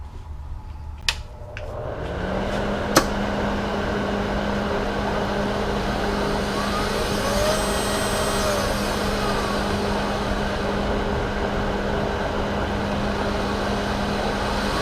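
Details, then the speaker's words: Hobart Handler 140 MIG welder wire feed motor after repair of speed-variability fault with a $1.25 component, trigger pulled and dial adjusted: smooth, even whine shifting pitch with speed; normal wire feed. "I'm gonna turn it on pull the trigger adjust the dial and see if we get the speed that we're after"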